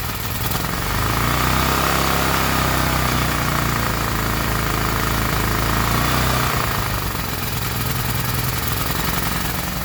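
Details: Gasoline generator engine runs on its own with a steady low drone and chuffing exhaust beat that swells slightly then settles; running normally.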